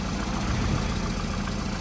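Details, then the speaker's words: Cold start on a freshly serviced 2004–2008 VW Golf 1.6 FSI with over 100,000 miles: the timing chain rattles briefly at start-up, then settles into a steady, even low idle with no knocks or ticks. A healthy cold idle. "and the engine sounds good to me. This is a cold start. I've just started it this morning, so um it's not like it's warmed up already."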